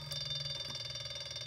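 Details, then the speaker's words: Brushless three-phase washing machine motor driven by a simple transistor circuit at 30 volts, about 0.45 amps: disconnecting one coil slows it, giving a high whiny, rough hum pulsing about ten times a second; reconnecting speeds it up. "it slows [Music] down. It's a little more noisy. You hear it kick into high gear here again. Disconnect this side. You hear it slow down again."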